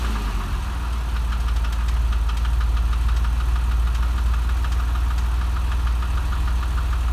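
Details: Porsche 996 3.4 engine at steady idle: fast, light ticking about four per second over the low hum, source unknown; engine ticking.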